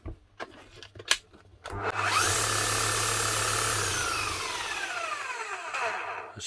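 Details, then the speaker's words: 18-year-old, nearly new Makita HR5001C rotary hammer bought as spares or repair, running after a new set of brushes was fitted: steady, even motor hum then clean smooth wind-down, no crackle or rattle; sounds like a brand-new machine. "smooth as sulk sounds like a brand new machine unbelievable"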